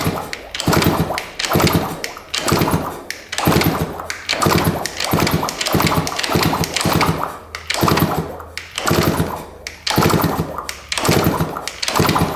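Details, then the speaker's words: 1986 Yamaha YZ125 two-stroke dirt bike, sat in a barn for years, oil added to cylinder: slow kick-over strokes with smooth, even compression and no knocking; engine turns over cleanly. "let's see what it sounds like kicking it over here sounds pretty smooth I don't hear any"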